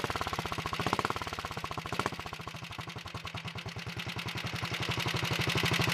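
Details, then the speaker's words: Early 1961 Wheel Horse model 401 garden tractor single-cylinder engine at first start-up, no choke, throttle near wide open, possibly flooded earlier: even, steady beat picking up smoothly with throttle, no misses or knocks; runs properly, smokes slightly on gas. "that sounds pretty good i'm gonna move the camera so you can see it smokes a little when you give it gas sometimes those things clear up when you run it some"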